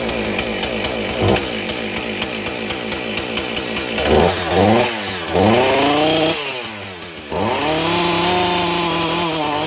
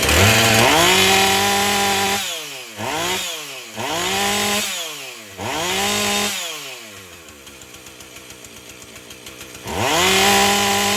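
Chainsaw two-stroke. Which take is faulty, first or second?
first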